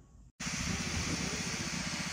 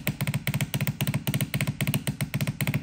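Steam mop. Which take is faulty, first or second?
second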